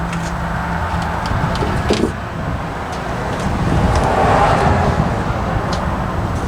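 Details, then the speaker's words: Chevy P30 food truck with a GM 6.2 naturally aspirated diesel, cranked with a replacement starter with shims removed: harsh, uneven grinding that grows louder. Suspected missing teeth on the flywheel. "that was really bad I probably checked the flywheel see how many teeth are missing"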